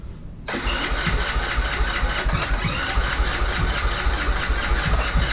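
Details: Vader 125 Grom-clone motorcycle on first start attempt: steady starter cranking with even pulses about two per second that never catch; has compression but won't fire. Cause suspected, not confirmed.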